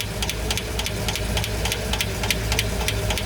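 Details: V8 at idle: a quick, light tick at roughly three or four a second rides over the idle; noisy hydraulic lifters suspected, not confirmed.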